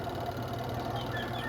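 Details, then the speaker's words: Beltless washing machine spin dryer with clothes, after repair of squeaking spin (shifting and dashpot fixed, suspension okay); spin tub turns with even low hum, squeak gone, no rubbing; normal spin. "Wala na yung langitngit. Ayan oh. Wala ng langitngit."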